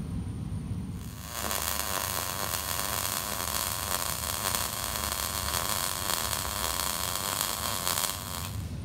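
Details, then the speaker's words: MIG welding with shielding gas turned back on, slightly too much wire speed: even, steady frying crackle for about seven seconds without pops or sputter; normal arc versus the porous weld made without gas. "compared to that yeah that's what you're looking for so just but the difference between that and that is having the gas on"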